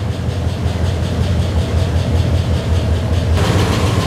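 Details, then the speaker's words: Ford Bronco prerunner on first start after the failed computer was replaced with a new tunable ECU, relearning with no check-engine light: a deep, steady low idle of about 2.5 pulses a second, even and smooth. Normal idle. "Sounds like the new computer is figuring things out. Let it run for a little bit. It's like changing the way it runs completely. Woo! Let it clear out. Sounds pretty good."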